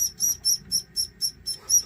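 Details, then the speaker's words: Magnavox CD-i 450 after optical pickup replacement, loading a burned disc: shrill chirping squeal pulsing about four times a second; owner suspects the laser sledge needs greasing, unconfirmed. "I was going to say we're in business, but holy crap, that sounds horrible. Wow. I might have to grease this thing up a little bit."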